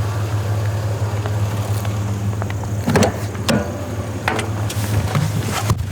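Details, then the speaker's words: 3rd-gen Honda Prelude with jumper cables connected to a weak battery: the starter spins briskly with a steady whirr, noticeably more power, and the engine then comes alive. "seems like it's definitely got more power oh ho let's go the prelude is alive"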